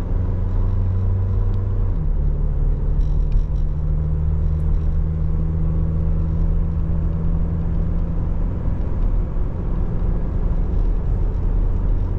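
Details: 2023 Toyota Tacoma SR 4x4 four-cylinder, 1801 miles, idling early morning: smooth, even low hum, idle settles slightly lower after a couple of seconds, no knocks or ticks. Healthy idle.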